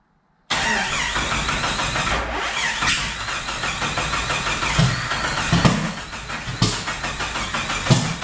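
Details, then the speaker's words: Turbo Jeep on Megasquirt MS3X, cranking after fan shroud removal and cam position sensor placement: starter churns with rhythmic squeaky pulses but never fires; crank no start, cam sensor thought to be a tooth off. "so we still got nothing here so like we said before we think it's a tooth off"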